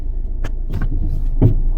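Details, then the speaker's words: 2008 low-mileage Peugeot 207 diesel rolling slowly: road rumble with sharp metallic clunks at about 0.5 s, 0.75 s and 1.4 s from a broken coil spring. "yeah we've just broken spring wow that's happened to me about twice in my entire career yeah definitely broke a spring you hear it"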